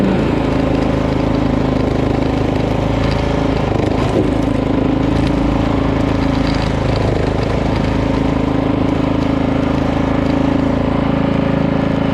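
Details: Poulan PXT12538 lawn tractor started after heavy rain, with the fuel shutoff reopened, gas added and oil checked, gives a steady, even single-cylinder chug at one speed with no knocks, misses or rattles; nothing was wrong with it.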